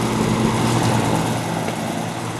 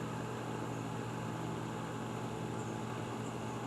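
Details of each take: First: Vintage antique-store fan with a spliced, poorly done replacement cord and an off/high/medium/low switch: even, steady hum with a soft airy rush, no rubbing, ticking or wobble; the fan motor runs smoothly and sounds healthy. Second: Vintage oscillating electric fan on the wrong cord, feeling stiff: steady hum with a soft whir, running noticeably slow and labored. It is a slow-running motor likely needing servicing; the owner suspects it may be miswired or the stiff cord may contribute.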